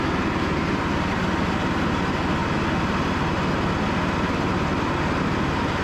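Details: Cub Cadet riding mower after 3+ years sitting, repaired and on a final test run: steady, even engine drone with no misses, knocks or surging; running healthy.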